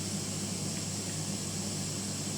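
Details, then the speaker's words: Sound system mixer channel with high (treble) EQ turned up too far: steady bright hiss over faint low hum, noise caused by excessive treble. "Dan semisalkan kita tune high-nya ini terlalu tinggi misalkan Nah itu akan timbul suara noise"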